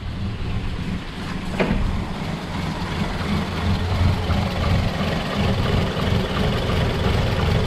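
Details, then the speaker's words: 2012 Toyota Yaris (Latin America), no check-engine light, power loss: idle around 500 rpm rises and sags every second or two; faulty upstream bank 1 oxygen sensor stuck at 1.27 V, fuel trim -20.4%. "aquí tenemos el vehículo fallando ya completamente véalo en en un rango de 500 revoluciones vamos a fuera se escucha cómo se oscila el motor"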